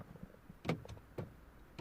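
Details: Mini Cooper D (R56) with no-ignition, no-crank fault: keys unlock but won't lock; pressing the window switch gives three short, faint motor whirs that stop almost at once as the window tries to go up and quits. Cause suspected, not confirmed.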